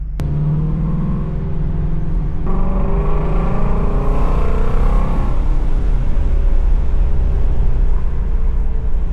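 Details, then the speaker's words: Ford Shelby GT350 5.2 Voodoo V8 at startup after oil change to 5W-50 with additive: rumbling and revving with a dull knock/rattle still present as revs rise and fall; owner suspects piston slap, mainly 2000–3000 rpm; teardown planned. "So it's still there a little bit. You hear the rattle. Definitely going to have to continue with the teardown."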